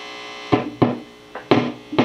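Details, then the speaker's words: 1968 Bassman (AB165 circuit) tube amp powered up: a low hum with sharp irregular pops and crackles about every half second; the 1 MΩ grid leak resistors are suspected and will be replaced, probably not a bad connection. "Sure it's not just a bad connection. I don't think it is, guys."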